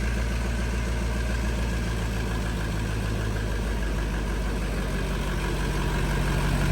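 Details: LBZ Duramax drag truck on its first start after the build, with the exhaust manifold plugs out and air still in the fuel system: deep, slightly uneven diesel idle with a faint light tap, which sounds like a big exhaust leak from the open manifold ports.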